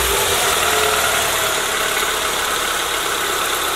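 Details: Car engine after a first-time valve cover gasket job, done because of oil in the spark plug holes, and with the power steering now working: steady idle with a constant mechanical hiss, no change in tone or rhythm. Normal idle.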